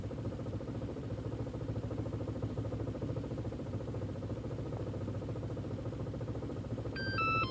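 Turbo four idles with an uneven, lumpy beat and slight stumbles under a steady low hum; rough idle, cause not obvious.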